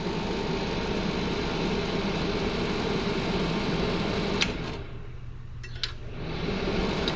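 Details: Old DunHot popcorn popper, fan oiled and top screws tightened: steady even motor hum, top no longer rattling; normal smooth running.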